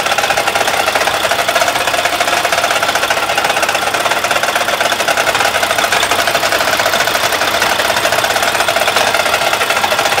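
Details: Mack truck with an MP8 diesel engine that will no longer build air pressure: a fast, even, steady tapping over the running engine, a rapid knock of unknown cause. A previous mechanic said it needs a new motor.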